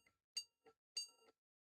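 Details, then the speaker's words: Desktop PC on bench power supply: thin high-pitched board beeps, one long and two short, indicating a graphics card fault. "Right. I don't know if you call that, but that's one long two short, which is saying it's a graphics card issue."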